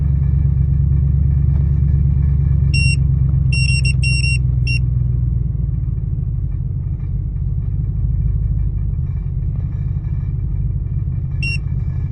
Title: 2000 Expedition: Rough Idle - Help!